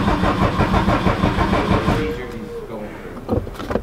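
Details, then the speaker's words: Fully built Subaru WRX with a new intercooler and couplers: the starter churns evenly for about two seconds with no fire. This is a deliberate crank to prime oil, and the owner is unsure whether oil pressure is building yet. "I think I was gonna crank it I'm gonna crank for like three seconds unless it just doesn't crank we'll see"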